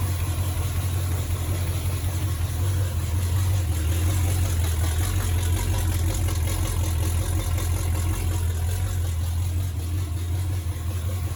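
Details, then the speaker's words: 1951 Chevrolet one-ton dually truck with Chevy 350 small block, freshly started after distributor fitted, timing not yet set: deep lumpy wavering idle rumble; rough idle expected to smooth once timing set near 12 degrees BTDC. "set the time into probably about 12 degrees before top dead center we should hear the idle uh considerably smooth out more than it is right now"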